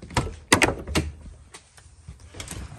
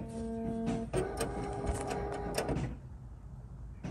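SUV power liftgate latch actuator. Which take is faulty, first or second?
second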